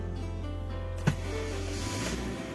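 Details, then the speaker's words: Car that previously would not start because of a weak, dropped battery, now started with battery at 12.5 V: brief crank, sharp catch, then steady even idle with no knocks or misses; charging at 14.3 V. "nah ini sudah bisa hidup ya mobilnya"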